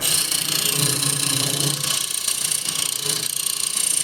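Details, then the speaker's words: Woodturning lathe cutting a holiday tray recess with a scraper; steady rhythmic chatter about four beats a second as the blank's uneven top makes the workpiece vibrate. "and square and [Music] scraper can hear that vibration"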